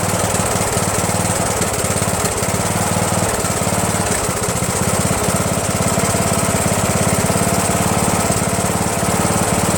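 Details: Rebuilt Briggs & Stratton 17.5HP spare engine (synchro balancer counterweight links replaced) repowering a Yard Machines lawn tractor: chugging about 3.5 beats a second, wandering and stumbling; runs rough, owner suspects carburetor/fuel mixture after blocked emulsion tube fix.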